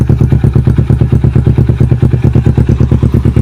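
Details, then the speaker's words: Kawasaki Ninja 250 FI twin with Yoshimura exhaust, at night: even, regular burbling pulses about eight a second, no misfires or clatter; normal, very smooth healthy idle. "suaranya masih sangat halus."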